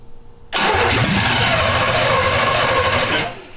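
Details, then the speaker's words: 1971 Jaguar XJ6 with a small-block Chevy V8, sat 5+ years, new fuel cell, plugs, wires and oil, cranked after throttle pumps without adding fuel: fast cranking about three seconds with no firing. Suspected running on residual fuel only. Fuel starvation, no start. "i highly doubt we flooded it but i think we're just running off a residual fuel"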